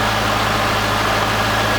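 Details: C5 Corvette after harmonic balancer and front subframe replacement, first run after 4+ months sitting, some smoke probably from fluid sprayed on the header: an even, steady low V8 hum with a smooth beat and no knocks or misses.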